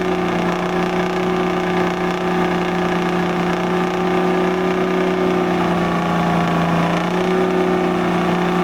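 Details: 1973 International Transstar 4300, 12V71 Detroit diesel sat since 1986, after fuel return flow check: steady deep drone rising slightly under throttle, no obvious miss; cylinder temps within 10°, owners think air in the fuel may have cleared.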